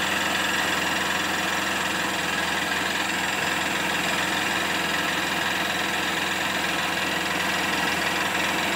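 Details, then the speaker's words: BS6 Honda CB Unicorn 160 at idle, with revs reaching 3000-4000 rpm and a non-working rpm meter: a light, quick tick about three times a second. Engine ticking at idle; the source is unknown. "टिक टिक टिक टिक की आवाज़ आ रही है। मैंने उसमें भी बताया था, hornet 2.0 में भी यहाँ से समवेयर यहाँ से आवाज़ आ रही है, टाइमिंग चेंज की या पता नहीं किस चीज़ की।"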